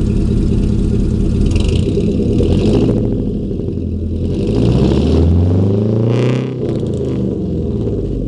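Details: 2000 Chevy 4.8 V8 truck lightly revved with four coils deliberately unplugged, misfiring on four of eight cylinders; lumpy, uneven blips, the note rising and falling roughly.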